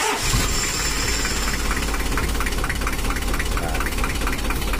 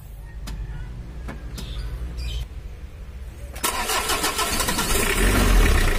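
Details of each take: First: Old Mitsubishi L300 diesel at idle; complaints are rough sound, low top speed and smoke on climbs: loud clatter with an uneven, shaky pulse about three beats a second. Mechanic suspects valve clearance set too tight; camshaft and roller rockers are ordered. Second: Old Mitsubishi L300 diesel after swapping in a newer-model starter dynamo: smooth, healthy starter cranking, then catches and settles to a steady idle, less rough than before; idle slightly low because injection pump delivery is lacking.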